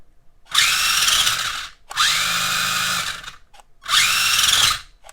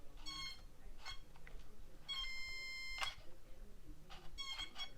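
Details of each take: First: HBX Rampage 1/18 4WD brushed RC monster truck, reassembled: short bursts of high, even whirring, no grinding or binding; wheels now turn, fixed. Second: HBX Rampage RC truck, steering works: short high-pitched ESC whines with each throttle blip but no drive; both front and rear wheels are bound up when turned together.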